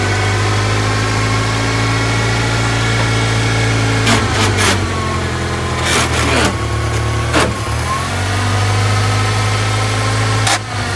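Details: Old Toyota forklift engine, sat over 10 years, after its too-high idle was turned down; a low, steady idle with a few brief clunks as it drops into gear, and the engine holds an even, settled idle.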